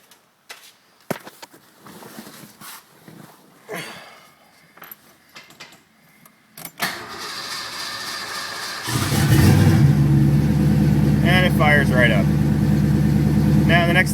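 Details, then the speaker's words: Fox-body Ford Mustang V8 (BBK intake, MSD ignition, mass air conversion) after replacing a bad starter solenoid that caused a single click; starter cranks briefly, catches at once, strong even idle, timing still needing adjustment. "I know it does need to be timed but starts right up and runs like a champ so that's what was wrong guys"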